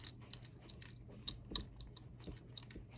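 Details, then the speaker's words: Modded Tanglewood Nevada electric guitar being moved: scattered light ticks and small rattles at irregular intervals from loose solder bits inside the body; the wiring condition is unknown. "but i can hear a bit of solder rattling around so i've no idea what the guy's wiring is like in here"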